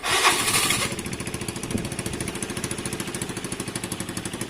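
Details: Vespa 125cc engine swapped back in after a 50cc, now running after earlier not running. After an opening rush of noise, the small single settles into quick, even firing pulses with nothing odd on top: normal running.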